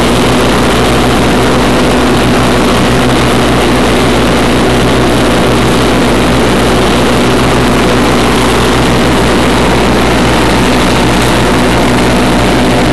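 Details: 1991 Craftsman GT6000, 20 hp Onan, first mow after deck lift eyelet bolt welded: loud, constant roar holding steady speed while cutting grass, no surging, knocking or bogging; normal running under load.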